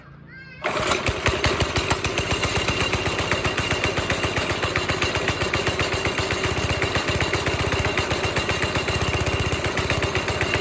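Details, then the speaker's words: NASCAR-style go-kart with a 5.5 hp Briggs & Stratton engine, started on choke after sitting a week and a half. Uneven single thumps around idle that never clear up; rough running because the throttle cable had come loose from its hanger. "It just doesn't sound right. It's definitely not sounding right. Sounds like it's like restricted somewhere."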